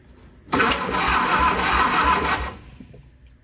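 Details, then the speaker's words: Austin-Healey Sprite barn find, previously seized engine freed, head reinstalled with new head gasket, valve adjustment slightly off, before spark check: steady, even cranking about two seconds at roughly three beats a second; engine spins freely with no binding. "now let's make sure it still cranks over"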